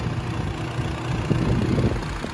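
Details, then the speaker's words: Nissan G35 coupe VQ engine at idle with the cooling fan on (comes on with AC): dull, uneven low thuds that lessen when the fan is pushed in and stop when the fan turns off; worn cooling fan bearing. "you guys hear that that thudding sound now when i push the fan in a little bit i pull it in you don't really hear it as much"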